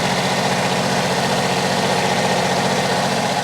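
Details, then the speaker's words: Generac diesel light plant generator, started with starting fluid and charging at 14.3 V: smooth, steady diesel idle, no blow-by, no belt squeal, runs and cranks better than the other unit. "What do we think about blow by? Nothing. Running like a sewing machine."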